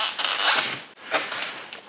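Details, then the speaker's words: Volantex Phoenix 2400 RC glider rudder during initial setup: short thin high-pitched squeaks each time the rudder swings, with quiet gaps between; dry squeaking control surface, builder suggests a bit of oil. "I'm going to have to put something on there maybe a little bit"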